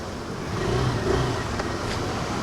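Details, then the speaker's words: Access 125 BS6 scooter that was stalling when pulling away; rolling slowly near the workshop: smooth steady engine note under light road noise, no faltering or dying; problem solved. "So అది బండి అయితే ఆగలేదు so problem అంతా solve అయిపోయింది"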